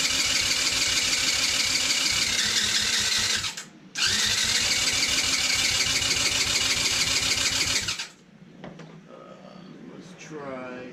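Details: Cheap TaoTao 110cc that has spark, owner suspects compression, being cranked to start: rapid, even cranking at about three turns a second, repeated twice, never catching; hard starting.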